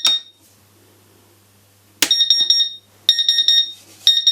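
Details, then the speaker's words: CW-3000 laser cutter water chiller, drained and plugged in: sharp high beep bursts with no pump hum, no display; flow alarm, owner suspects the small internal power supply has failed. "no display pump's not running yeah so it's partially working okay now we can find out what's gone wrong my feeling is i'm fairly sure that uh the there's a little power supply in here i think that's gone uh toast"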